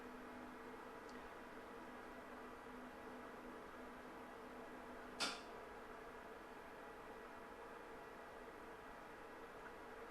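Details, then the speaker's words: APC Smart-UPS after battery replacement, self-test: one solid relay clunk then steady soft fan hum; self-test passed. "let's just do a quick self-test nice resounding clunk and the fan spins up"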